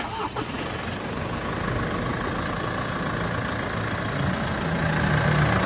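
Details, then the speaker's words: Mitsubishi Montero with customer complaint of noise on morning start, after drive-belt work and re-tightening the engine cover bolts: engine catches and settles to an even idle with no squeal or chirp; normal start and idle. "Ayan mga boss after kong mapa-start itong sasakyan ni customer, hinayaan lang namin umaandar"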